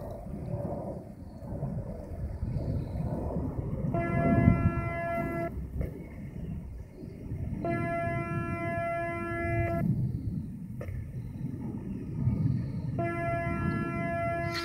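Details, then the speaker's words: Morningstar SunGuard SG4 PWM solar charge controller fed by amorphous panels, connected and disconnected: steady buzzy hum near 300 Hz with overtones and a phasing sound as pulse width varies 0–100% at constant frequency; normal PWM regulation noise. "hear that sort of phasing sound where it kind of goes that's the pulse width modulation value varying between 0 and 100%"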